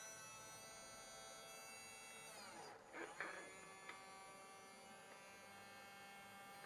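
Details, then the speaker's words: RNLI Severn Class RC lifeboat by Zappies, bench test of a small long-shaft drive motor that had failed and was previously repaired, parts temporarily held together: spins up to a clean steady high whir, even pitch, no rasp or ticking; running smoothly. "just hold that together for now one oh nice and smooth"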